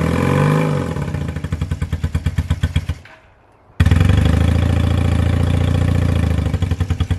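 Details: 1978 Honda CB250 Twin, just after valve clearance adjustment: uneven low idle with lumpy firing, nearly dies then catches and stumbles raggedly; sputters whenever given a little throttle and won't rev.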